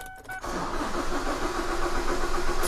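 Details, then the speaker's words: 2016 Holden Colorado no-start with a camshaft position sensor 2 circuit code: starter spins the engine steadily for a couple of seconds without catching, while the fuel rail builds no pressure against the desired value; crank, no start. "so it's not building any fuel pressure as well"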